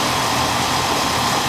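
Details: Old Amana R22 AC condenser, seasonal check on a warm day around 70–72°F: pressures good with no sign of a leak, subcool slightly high, coil clean; steady fan whoosh over smooth compressor hum, no rattles or cycling; normal operation.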